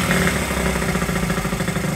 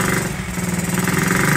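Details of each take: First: 1969–70 Honda Z50 started after 35 years without cleaning points or carburetor, fork repair done; idle being adjusted, small single-cylinder settles into steady, even putter at low idle with no misses or stumbles. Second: Honda Z50 started for the first time in 35 years: small single revving unevenly with a soft, burbly, lumpy exhaust note, running rich; suspected carburetor slide needle set too high, also needs air adjustment.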